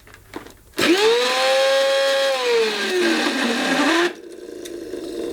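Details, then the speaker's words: 1990s Goblin Handy mains-powered hand-held vacuum, sold as new but used: motor tone swoops into a loud shrill whistle, holds, then sags and wavers before shutoff; clearly faulty, possibly terminal. "that is certainly not what a Goblin Handy should sound like."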